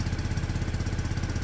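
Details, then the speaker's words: Peugeot Satelis scooter (barn find, immobiliser/ECU repair) restarted cold: low, lumpy uneven chuffing idle that won't rev yet; automatic choke suspected, may just be warming up; engine reluctant to rev when cold. "start back up doesn't want to rev yet but the automatic um choke"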